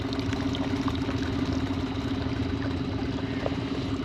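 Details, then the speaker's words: New petrol outboard on a small boat, first test run, started by its green button and idling with a soft, even, steady low hum and no knocks or misses; super quiet, normal idle. "See this little green button here? Go. Oh. And it's super quiet. Listen to that."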